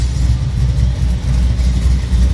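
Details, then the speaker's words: 1981 El Camino with a swapped LT1 V8 and T56, first start, serpentine belt off because the power steering pump has no return line, new exhaust with O2 bungs. Deep, loud V8 burble at idle, steady low rumble: normal idle. "all right got it running i don't have the serpentine belt on it right now because i didn't ever get a return line on the power steering pump so it sounds pretty good"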